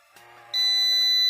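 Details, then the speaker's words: Prolink IPS 2500 UPS under repair (burnt IRF1407 MOSFETs, faulty PWM IC), power-off pin grounded to force PWM: click, then sudden piercing steady high beep; F0 protection alarm because PWM supply voltage dropped. "Program tersebut ingin dimulai, tetapi menampilkan perlindungan F0. Sebelumnya, hanya terdengar suara klik. Karena tegangan suplai PWM menurun, sistem membacanya sebagai kesalahan. Oke, belnya berisik sekali, teman-teman."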